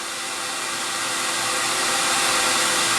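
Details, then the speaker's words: CamVac dust extractor with cyclone, air extracted directly outside through duct, just below 70 dB; soft steady rushing hum, not harsh on the ears, no rattles or surging, running normally. "just below the 70 level and now the noise that I'm hearing is a very soft kind of noise and it's not harsh on the ears"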